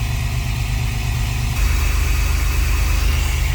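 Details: 2004 Chevy Astro van 4.3 V6 Vortec idling after installing an aluminum distributor: steady, even low idle with smooth firing and no knocks or misses; sounds healthy.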